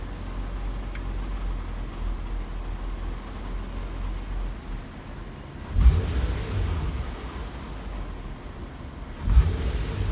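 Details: Infiniti G37 in park at low rpm idle: low rumble with occasional loose metallic rattle bursts triggered by vibration, from catalytic converter internals breaking up, a known G37 fault.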